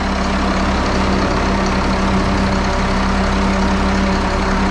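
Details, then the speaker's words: 1974 Allis Chalmers 7080 diesel tractor after hydraulic leak repairs, a steering cylinder rebuild and new hydraulic and fuel lines. Deep, even idle with a steady low drone and no knocks, misses or hunting; it idles normally. "You hear that? That's the sound of success. Listen to that big girl purr."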